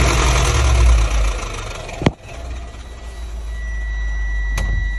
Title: Subaru exiga 2.0 gt sti gearbox problem . Whining and grinding noise . Car wil not drive or go back.